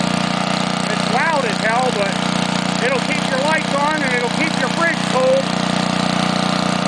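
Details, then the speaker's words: Homelite generator (powerplant built in 1950s or 60s), restarted after sitting unused far too long: steady, even low drone, running smoothly again while left to clean itself out and dry out. "let it clean itself out a little bit dry out of course it's just nice to hear the old thing running again"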